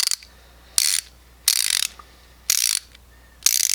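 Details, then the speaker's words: SK LP90 ratchet compared with Tekton folding and Snap-On 80-tooth flex-head stubby ratchets: coarse, gritty, scratchy ratcheting bursts about once a second; rough action, owner suspects it lacks oil. "the one that sounds the roughest is the sk so if you want to hear that oh my god that sounds like there's no oil in there or i don't know if that's supposed to sound like that but i do not like it"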